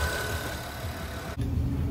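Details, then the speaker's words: Honda at a dealer service bay idling with a thin steady high electrical whine; noise goes away with the alternator plug disconnected and returns when reconnected, bad alternator. "so to me that is an ALT a bad alternator so all I did was just disconnect the alternator plug see if I could do it right here real quick so I went ahead and unplugged the alternator plug now let's turn on the vehicle turn it on noise is gone"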